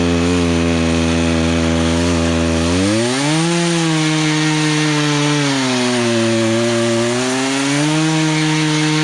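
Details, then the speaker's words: Poulan Pro chainsaw after carburetor adjustment, cutting a log: howls at high revs, dips as it bites into wood and picks back up without stalling; runs properly under load, chain likely needs sharpening. "okay so let's cut and fine besides i probably need to sharpen the teeth up but i got it where it's not stalling out as you're cutting through"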